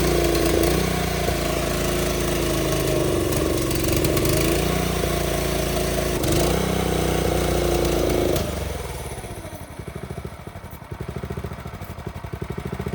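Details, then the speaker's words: TrailMaster go-kart that won't start after sitting through winter, fuel on, choke pulled: revs steadily about eight seconds, then fades into slow uneven pulses and dies, running only on fuel poured in. Spark and compression good; carb jet possibly stuck. "Nope, it was just drinking what I put in there. All right, so now we know spark's good, obviously, and compression and everything, which we knew that was good in the first place."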